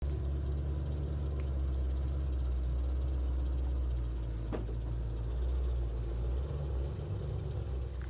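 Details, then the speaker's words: Chevrolet Camaro at idle: thin high chirping squeak over the engine rumble from the idler pulleys; fixed by rebuilding the idler pulleys, with belt replacement recommended. "Today, we're working on the idler pulleys of the Camaro. They're squeaking, as you can see from that previous clip, and I'm going to show you how to fix your squeaky idler pulleys."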